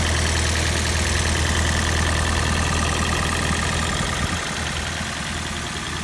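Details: Toyota Prius 20 1NZ-FXE, 2010, 120,000 km, knock after decarbonizing with Lavr ML203 Novator, sound changed after about 100 km; no codes, drives fine, plugs and coils replaced: steady idle with regular knock about three per second, source undiagnosed.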